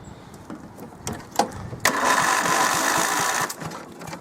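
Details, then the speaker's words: Tractor fitted with an old starter motor taken from another tractor, whose gear is half worn, on a very warm day: a few clicks, a brief crank, then the engine catches into a steady run. It starts, but the owner says it won't start without the choke. "It works. It's half knackered. That gear's half knackered, but it works."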